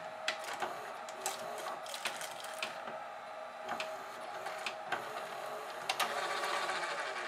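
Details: GoVideo DVR4000 DVD-VCR with cracked drive gear detached from clutch, almost no take-up torque: quiet whirring with uneven clicks and clunks about four a second, transport hunting and straining, refusing to eject tape; owner suspects video lights upsetting infrared tape sensors.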